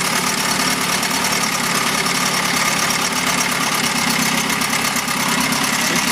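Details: 1971 Mercury outboard (listed as 7.5, also called 72 horse) revived after coil work: steady raspy even idle with no misses, being run out of fuel; runs like a dream.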